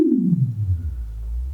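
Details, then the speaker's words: Magnepan MG-3.6R planar speaker after full rewire for wire delamination, playing sine tones from 162 Hz jumping around: clean pure tone stepping down to a low hum, no buzz, rattle or distortion; normal playback. "You know? That sounds pretty normal. That sounds like a speaker, right?"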